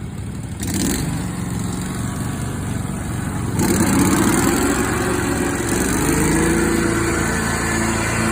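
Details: Lesco mower running with blades engaged, compared to a normal-sounding Skag: steady engine with an extra whirring tone from the deck that rises and wavers; odd blade noise of unknown cause.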